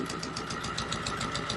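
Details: Repaired Volvo Penta 2002 fresh-water-cooled diesel from a 1987 Liberty Yachts Pied Piper 28 sailboat, warmed to about 150 degrees, after 800 rpm idle and varied rpm: steady even beat, no knocks or misses; normal running.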